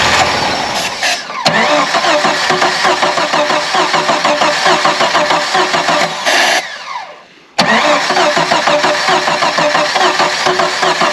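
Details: Old Jeep YJ, carb rebuilt, dry bowls primed with carb cleaner, fresh battery: cranks, catches, runs with a busy uneven mid-range note, stumbles and dies, then restarts; rough first start on a dry carb.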